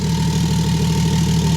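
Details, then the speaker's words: X5 diesel with intake manifold, airbox and inlet pipe removed, running on injectors during delete work: steady heavy idle with uneven lumpy beat; misfire reported by previous owner, suspected injector, not confirmed. "So I don't know if you can hear that, but obviously this car has a misfire. And I was told about that by the previous owner."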